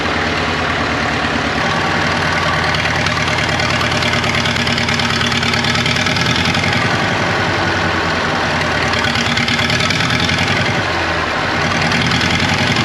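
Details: 1939 Caterpillar D4 (RD4 4G9986) diesel, first start after rebuild, pony-motor started, near a mile altitude: heavy chug with stumbling beat and occasional dropped firing pulse at steady idle; engine has a miss, fuel leaks still to fix.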